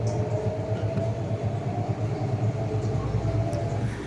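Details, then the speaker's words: IFB washing machine after drum removal and check for spin noise: smooth constant low hum with even pulse, no scraping or banging; drum now spins normally, earlier noise gone. "अभी इसमें कोई आवाज नहीं आ रही है। बिल्कुल normal ये machine चल रही है।"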